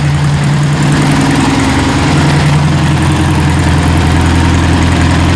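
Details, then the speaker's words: Freshly rebuilt 40hp air-cooled VW flat-four in rat rod truck, rebuilt carburetor and welded exhaust, first start after rebuild, oil light out: steady even low thrum, no knocks or misses; normal idle, fuel feed problem found later. "all right go ahead shut it off sounds good too oh guys did you ever doubt me"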